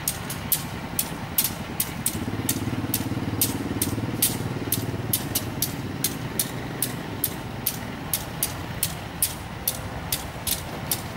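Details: Diesel locomotive at a station crossing, heard as it pulls out slowly: low diesel drone with sharp regular clacks about three to four a second; not wheel damage, reportedly just how its engine normally sounds.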